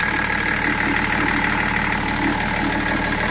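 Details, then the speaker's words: BMW 330d E46 diesel, 400,000 km, idling during coolant refill and bleeding; a slight noise is from a damp belt: steady, even idle clatter with no misses, surges or knocks, no tremor at all. "Pas de tremblement, rien."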